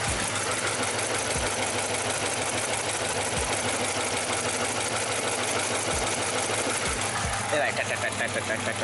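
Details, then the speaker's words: 2006 Dodge Charger 5.7L Hemi idling fairly well but with light fast ticking in step with engine speed from the top end; owner suspects a bad lifter on the right side, ticking at idle. "I mean, it's going with the cam, but I will say, I think a lifter went bad. I think a lifter went bad."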